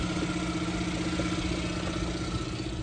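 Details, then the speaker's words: Suzuki Jimny with K6A engine at import port: quiet, even idle hum with steady low pulse, no knocks or misses; sounds healthy. "got the k6a sounds healthy over there"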